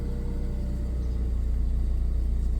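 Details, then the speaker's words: BMW E36 M43, days after fitting a fuel one-way check valve for hard starting: starts first crank and settles into a smooth, even, steady idle with no hunting. "ผมใส่ปุ่มเข้าไปแล้วนะอืออนเรียบร้อยเียบเบรกสตาร์ทอืชึ่งเดียวติด"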